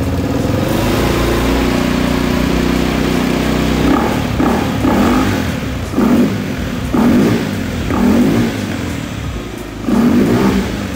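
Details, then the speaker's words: Vespa S 3V with Polini 175cc bore-up kit, Akrapovic exhaust and snorkel open-filter intake: deep droning hum at idle with short rising throttle blips, a normal intake drone from the open filter. "mungkin ada beberapa suara aneh yaitu mendengung uh uh gitu ya tadi dengar kenapa suaranya kayak gitu karena momen ini memakai snot intake jadi bisa dibilang dia Open filter open"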